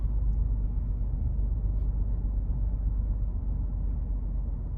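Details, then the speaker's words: 2017 Hyundai Genesis G80 3.8, 41,481 miles, missing and smoking white from one tailpipe after refuelling: low, uneven idle with a lumpy stumbling beat, misfire felt in the seat; one cylinder dead, flooded by a stuck-open fuel injector. "It's definitely got a misfire, so I'll get it in the shop."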